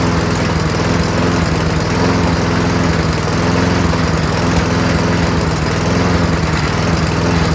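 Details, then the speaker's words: Toro Recycler 22-inch self-propelled mower, Tecumseh engine with freshly cleaned carburetor, running on its own: steady even beat but slow, low-pitched; RPM should be raised by bending governor spring bar outward. "uh the RPMs could be increased a little bit so there's a little bar here you can bend outward a little and that gives the um spring more"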